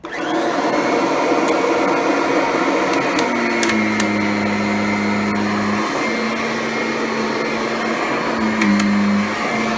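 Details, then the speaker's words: Kirby Ultimate G Diamond Edition bagged vacuum, first test run on carpet with new bag: strong even motor whine at constant pitch, self-propelled drive humming very quietly underneath. Normal running. "Self-propelled drive is very quiet."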